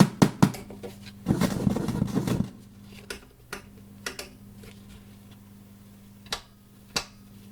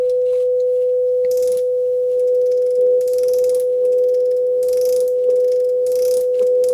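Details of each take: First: JVC VN-300 vintage amplifier/receiver powered on with no audio signal connected, which also crackles on the volume control and input selector: irregular loud sharp pops and crackles over a slight steady hum; amplifier crackling fault. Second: JVC VN-300 vintage receiver, powered through a bulb limiter, test-tone generator on AUX 1: steady pure mid-pitch tone with no crackle, hum or dropouts; channel passing signal cleanly.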